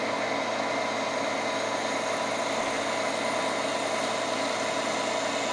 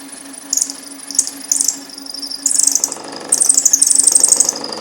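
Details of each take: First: Milling cut for a DRO bracket, hand-cranked feed: steady even cutting tone holding one pitch, no rattle or chatter, over a rigidly supported section; chatter returns on unsupported sections. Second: Countersinking a hole for DRO scale bracket screws on a Precision Matthews PM-1228 lathe setup, after a centering mistake: shrill, stuttering squeals in bursts that grow longer and louder; the countersink is chattering in an off-centre hole.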